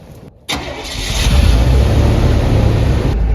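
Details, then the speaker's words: 1988 GMC Jimmy K5 with a TBI 5.7 350, parked 10 years, starting after a throttle body rebuild and new injectors. It cranks briefly, catches at once and settles into a steady, even idle with no stumble or miss or smoke. "we we rebuilt that throttle body unit and put new injectors in and started right up Crank It Up Ralphie crunch it up"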